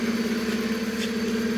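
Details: Hyundai Solaris 1.6 G4FC, first facelift, manual, running on gas (LPG), about 443,000 km, high oil consumption: rough idle with a fast, even pulsing hum and a hard, tinny edge on each beat; worn pistons knocking.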